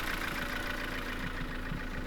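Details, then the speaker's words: 1991 Nissan Pulsar GTI-R 4WD turbo with an SR20DET and top-mount intercooler, idling steadily with a dry, fast clacking on top. Unlike hydraulic-lifter SR20s this engine has solid lifters, so it sounds more clacky than normal, which is typical for this engine. "You can probably hear that it sounds more clacky than normal. That is typically how this engine sounds."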